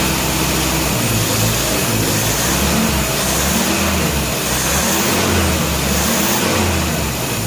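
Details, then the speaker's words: 1957 Nash Metropolitan barn find that sat for many years, running on old gas after crossed plug wires 3 and 4 were fixed, warming up: even, steady firing that rises smoothly when revved, with no stumble or miss. Normal running. "this thing has always been such a sweet little car all i wanted to do was run and i couldn't keep my plug wires straight well i'm gonna let it sit here and just warm up for a little bit before i shut her down"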